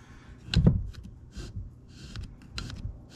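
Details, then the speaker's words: 2005 Kawasaki Brute Force 650 front differential teardown, right side: axle bearing spun by hand gives an uneven gritty rasp with scattered clicks instead of a smooth roll. Worn differential bearing. "sounds a little gritty and it's not moving horribly freely but uh listen to that that is horrible and that's the one that I figured was going to give me issues"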